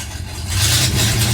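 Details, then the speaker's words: Cold V8, possibly losing compression, rings or valves suspected but unconfirmed; stumbling, lumpy idle with a steady misfire, very weak vacuum and poor oil pressure, barely running; leak-down test planned, heads may be pulled for a ring job. "runs like total ass like runs terribly no vacuum at all like the vacuum signal is so weak this is a horrible misfire and it'll eventually sit here and honey it'll idle it's just not happy"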